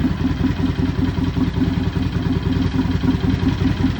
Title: Rattling sound on cold engine - Dyna Low Rider 103HO 2017 #dyna